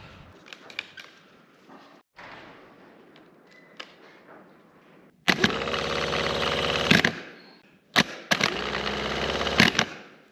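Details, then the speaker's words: 1965 Chevrolet Corvair 110 hp engine starter tested; two bursts of whirring, rattly spin of a second or two without strong build-up; starter seems weak, owner unsure and plans to compare with a new one. "Seems a little weak, so I'm not sure. I think I'm going to go ahead and get a new one, and I'll test the new one out."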